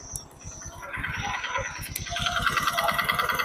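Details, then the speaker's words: Honda Supra X 125 single-cylinder, kick-started, at idle then slight throttle; fast, even, harsh rattling knock that worsens as revs rise; mechanic suspects bearing, connecting rod or piston; piston slap. "Suaranya sangat jelas ya sangat kasar dan ini suaranya bisa ditimbulkan dari bagian buaklos dan bisa juga dari stang piston atau di bagian piston"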